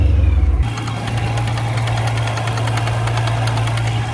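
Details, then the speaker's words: 600 hp supercharged BMW M3 Club Sport track car at idle: sharp, rapid ticking knock that sounds like rod knock but comes from the blow-off valve, whose spring is too soft. "So, let me explain what that noise is and how we can fix it right now. That clicking noise is coming from right here. This is my blowoff valve."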